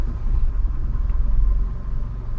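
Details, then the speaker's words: 2014 Nissan Sentra 1.8L in park after cleaning the throttle body: smooth, steady idle with no surging or stumbling; it previously hunted 600–1000 rpm and wanted to stall, with a MAF sensor code. "now I'm in park right now and this thing is idling like a baby before this thing wanted to die all day"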